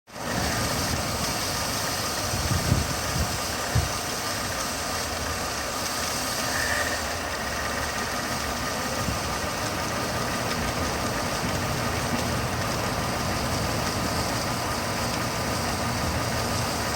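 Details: 2006 Mercedes C230 petrol engine idling under a constant airy hiss: a vacuum leak, apparently from a crack in the intake manifold.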